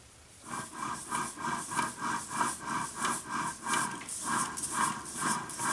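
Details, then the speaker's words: Bench teardown of an NP247J transfer case from a 1999 Jeep Grand Cherokee Laredo that growled and whined while driving: rhythmic light clicks about once a second as the planetary gearset is turned by hand; bad bearings suspected, cause not confirmed. "this I'm wondering if that noise is the sound that we were hearing when we were driving the Jeep."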